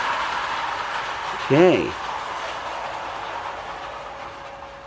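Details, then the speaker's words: 1930s Marx Mercury clockwork whistling motor, after filing the slipping pawls to engage the sprocket, pulling tender, gun car and caboose: steady whirring run with rising-and-falling whistle blasts, runs strong and fast, healthy. "it's not going to quite make it around but it runs pretty strong really happy with it"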